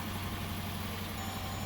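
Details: 2014 Jeep Grand Cherokee after the clicking no-crank problem is fixed by scratching the starter connector contacts clean: low, steady, even idle with no misses or knocks. Owner suspects moisture corroded the starter plug-in wire connector.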